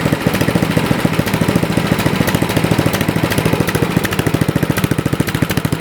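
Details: Toro four-cycle snowblower after adjusting the too-lean carburetor to cure surging: small single-cylinder engine holds an even, steady beat with no rise and fall in speed; runs smoothly.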